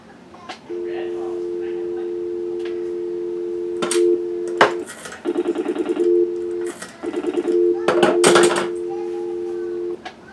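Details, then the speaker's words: Rebuilt 1940 Western Electric 302 telephone, almost 80 years old, with metal alloy cover: steady low continuous dial tone broken only by handset clatter, line not seized, phone working normally. "Let's see. It's got dial tone. It's working pretty good."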